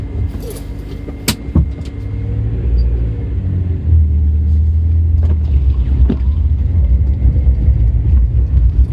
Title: Strange noise when revs drop below 2k